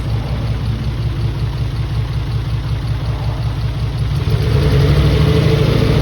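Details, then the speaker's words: Mitsubishi 3000GT VR4 newly installed engine on first start, running old injectors that had sat unused: a lumpy idle with uneven thumps that won't settle; one or two cylinders suspected misfiring from the injectors, not confirmed. "Definitely injector problem. Probably one cylinder misfiring right now, or maybe two."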